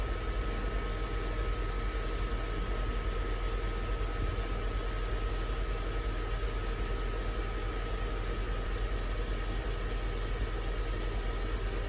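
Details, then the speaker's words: Mercedes GL450 W164 Airmatic air suspension compressor (A1643200304) after fixing a no-start: steady electric hum with an even mid-pitched whine, no stutter; compressor pumping normally. "And guys, you can hear the compressor is making noise. Guys, that's how you fix a compressor that does not start."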